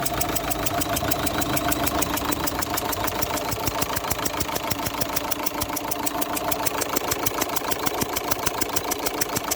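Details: Opel Zafira 1.9 CDTI diesel at idle: sharp regular ticking, about three per second, from compression escaping past injector number 2; its copper sealing washer has failed and must be replaced.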